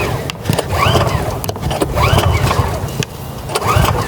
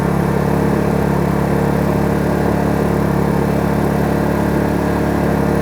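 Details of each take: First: Kraft&Dele KD681 3000W inverter petrol generator, first cold start: three rising recoil-cord whirs about every 1.5 seconds with no catch. The choke was accidentally left open, because this model's choke closes to the right rather than the left, so the cold engine would not fire. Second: Kraft&Dele KD681 3000W inverter generator warmed up, in eco mode with no load, heard from about 1 metre: steady, even mid-pitched hum with no knocks or surging. It is idling normally.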